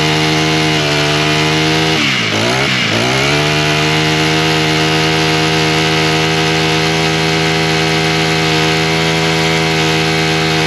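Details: Husqvarna straight-shaft two-stroke string trimmer, primed, started on choke, then half choke with throttle: strong, steady high-pitched buzz after a quick throttle dip, no sputter. It runs fine; the owner suspects bad gasoline with trash and possibly some water.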